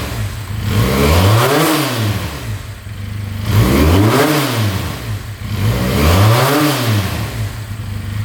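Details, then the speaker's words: 2022 Benelli 302S motorcycle, fired up instantly, idling at 1700 rpm; three clean blips climbing smoothly and falling back to steady idle, no knock or clatter in top or bottom end. "Idling at 1700 RPM. No knocking in the top end. Bottom end sounds good. Alright, will it rev out though?"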